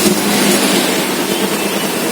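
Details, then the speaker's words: Kawasaki Z250 FI, previously misfiring at low rpm, black smoke, high fuel use, no stable idle, after repair: steady, even idle with no misses, surging or stumbling; fuel mixture now correct, smoke no longer black, normal idle. "suara mesinnya sudah enak engak gak kayak kemarin ya karena takaran dan bakarnya sudah sesuai"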